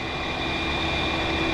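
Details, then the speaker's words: 2004 VW Golf electric radiator cooling fan that worked only intermittently, letting the AC go warm at idle: loud constant rushing roar with a thin high whistle. Failing cooling fan motor, replaced with a new fan. "well I knew it was bad because one thing was making a noise and this is the noise that it was making you hear that noise"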